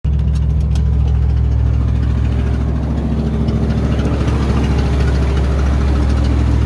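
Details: 1990 Ford Bronco: heavy deep idle with a faint uneven tapping on top at roughly three beats a second; weird engine noise, source unidentified.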